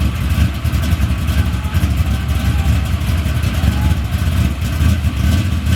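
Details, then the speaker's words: Car with newly built engine, new fuel system and relocated fuel pump, on racing gas: deep, steady, even rumble with firm low throb and no knocks or rattles; healthy idle. "But let me get this gas in here, man, and I'm gonna crank Big Dolo up, let y'all hear it a little bit."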